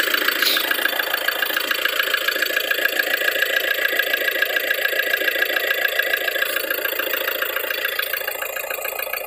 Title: Форд Транзит 2,2 2013 г стук в моторе.